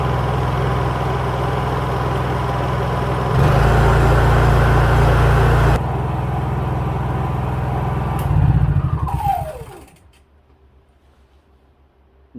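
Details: Honda EU3000is inverter generator on a test run after a carburetor cleaning. A steady low drone steps up under load and back down, then winds down; runs cleanly after the fix.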